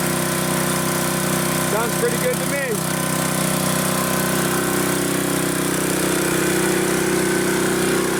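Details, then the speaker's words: Honda HS622 snow blower with a 6hp Honda GCAAK engine, running after a carb clean, oil change and fresh fuel, having previously not run: an even, steady single-cylinder drone at fast idle with no misses, stumbles or hunting. "This thing works awesome, guys."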